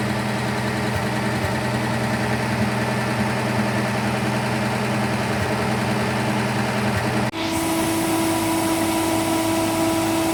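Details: Austin K9 vintage truck petrol engine under restoration: lumpy idle with occasional stumbles, misfiring; owner suspects oil poured over a spark plug, and all plugs are being changed.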